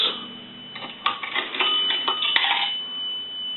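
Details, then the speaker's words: Automatic Electric three-slot payphone after repair and conversion, coin validator checked: two quick bright bell strikes ring out cleanly over a faint high steady tone, the proper double ring for a dime. "a dime will ring the bell"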